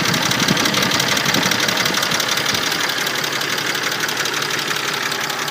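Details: Mercedes-Benz M104.992 engine at hot idle: all 24 hydraulic lifters tick fast and crisp at about three per second; fine when cold, and an oil change cured it.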